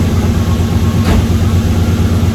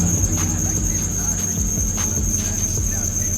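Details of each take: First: 1UZ V8 Toyota Soarer/SC400 just after a serpentine belt replacement: smooth, even idle with steady low rumble and no squeal or chirp at all; the old belt, not the tensioner, caused the squeal. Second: Toyota Soarer SC400 1UZ V8 at idle before serpentine belt replacement (Gates 6PK2275): loud shrill steady squeal that stops when the engine shuts off; worn, slipping serpentine belt.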